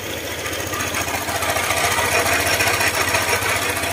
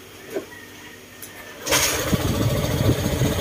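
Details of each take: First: Honda ADV150 at idle, noise from the engine that another shop blamed on crankshaft side bearing; tensioner checked: fast, even clatter about three ticks a second over the idle, from excessive valve clearance and a worn camshaft. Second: Honda ADV150 scooter after valve clearance adjustment, seat refitted: cranks, catches, settles into steady even idle with the earlier knocking gone; healthy engine.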